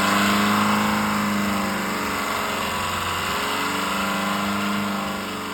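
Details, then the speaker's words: Perkins 4.108 marine diesel on a sailboat leaving Monterey runs away, roaring at high steady revs with a loud ragged clatter, louder than ever, unresponsive to the panel stop; shut off below deck. "the engine continued to rev louder than ever before so he ran back to the cockpit told me to turn the engine off but when I did it was unresponsive"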